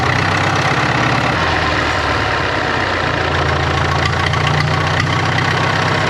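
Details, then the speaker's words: 1939 Caterpillar D4 with the Cat D4400 diesel after rebuild: steady, even idle with a deep low thrum and a small speed change partway through. Some wet stacking suspected, needs breaking in. Runs healthily. "What do you think? I think we're in business. I think we got some wet stacking, but it needs broke in."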